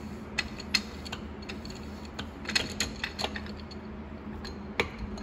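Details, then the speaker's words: Ford E4OD/4R100 transmission during rebuild, rear unit shifted by hand giving light sharp clunks and clicks; normal rear unit end play, set by forward drum and center support back to rear sprag race, direct drum unrelated. "Hear the clunk, that's good. So it's from your forward drum and the center support back to the rear sprag race."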